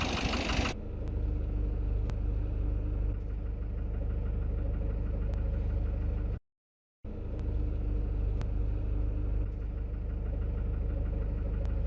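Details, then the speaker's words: Citroen Relay van diesel at 12,800 miles (fault since about 4,000): at idle a regular knock grows louder and harsher the longer it sits. It is worse when warm, and a slight rev temporarily quiets it. "Hear this, that knocking's getting worse. The longer and longer I leave it like this, the worse it gets."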